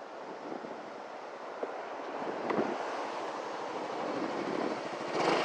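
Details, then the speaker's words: Yamaha Gear 125 scooter idling smoothly and evenly with a soft steady putter after a blown fuse was replaced with the spare; engine runs again and the electrical problem is solved. "motor sudah hidup kembali dan tidak dan permasalahan sudah selesai"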